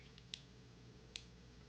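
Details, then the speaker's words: New Taurus 66 Combat .357 Magnum revolver, cycled by hand. Two crisp, clean clicks about a second apart as the cylinder locks into each notch. Normal in-time lockup; one other chamber is starting to go out of time. "You can hear what it's actually supposed to sound like when it's cycling. Notch. Notch."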